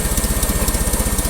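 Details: Old carbureted engine cold-started in winter, with a new battery and a custom exhaust manifold gasket fitted; even low thumping idle around thirteen pulses a second, exhaust leak barely audible, running smoothly.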